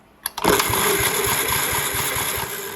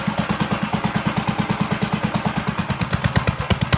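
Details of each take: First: 1958 Gravely Model L single-cylinder, revived after sitting outside, new switch and battery fitted: the starter turns it over with an even, chugging compression pulse but it never fires; compression present, no spark, magneto points to be cleaned. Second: 1958 Gravely Model L walk-behind tractor, after sitting over a year, running with throttle now hooked up: single cylinder thumping steadily about three times a second, even beats, no misses; normal running.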